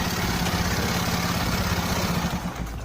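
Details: Honda Beat scooter after starter repair for intermittent starting, air filter box refitted: low, steady even putter at idle with no grinding or friction from the starter gear; sounds healthy.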